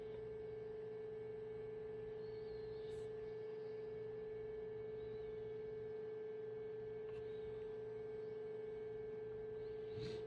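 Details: 2011 VW Jetta Sportwagon 2.0 TDI (Mk6), after fuel filter replacement: steady, even mid-pitched hum holding without wavering through the VCDS-activated fuel supply pump cycle before start; normal priming.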